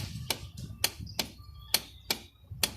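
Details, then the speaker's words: Yamaha X-Max scooter: pressing brake and starter gives only six sharp dry clicks of the starter relay at the front, no starter whir or cranking; horn still works; original factory battery suspected faulty. "นี่นะครับเราจะได้ยินเสียงรีเลยดังอยู่ทางด้านหน้าตรงนี้นะครับ"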